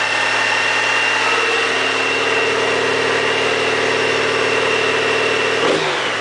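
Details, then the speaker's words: Honda GL1800 Goldwing, about 40,000 miles, revived after sitting, fully warm about 15 minutes in: smooth even engine note with steady cooling fan whir, clean rev change; normal running with fans on, clutch and transmission fine. "This is what a Honda Goldwing engine should sound like at 40,000 miles."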